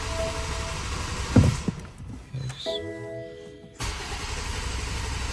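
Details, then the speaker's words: 2023 BMW M4 after rebuild and ECU installation: starter spins the engine in a steady churn with no firing, cranking on without starting; turning over confirms the right ECU, owner suspects a dead battery, cause unconfirmed. "it won't start but hey at least it at least it turns over so that means this is the right ECU which is nice but I wonder why it won't start maybe this battery is just dead"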